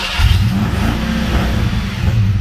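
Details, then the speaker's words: Supercharged Fox-body Ford Mustang, first start: engine lopes and stumbles with a lumpy beat, popping out the intake, and wants to die. Owner first suspected timing; one cylinder was cold with a disconnected fuel injector, causing a misfire. "it wants to die. You can hear it popping. Kind of popping out the intake, so I think it's timing."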